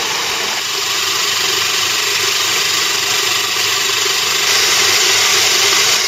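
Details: Moulins d'Alma individual mill grinding grain for wholemeal flour after sieving out straw particles: even hissing grinding rush with steady beat about four per second, unchanging; normal grain milling.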